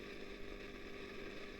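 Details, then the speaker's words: Early-1960s Selmer Little Giant single-ended valve guitar amp, original and long stored, idling: steady hiss with crackle, low rumble and faint hum, getting noisier; suspected failing plate resistor on the twin triode, not confirmed. Pilot light also flickers. "yeah that's getting really noisy now yeah I'm sure you can hear that"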